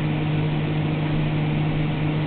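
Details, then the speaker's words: GE refrigerator freezer evaporator fan on high speed after the ice buildup was melted off with a blow dryer: steady, even low hum with no buzzing or scraping. It is quiet and normal, though the fix is only temporary. "all right now we're on high speed and it's quiet the way it's supposed to"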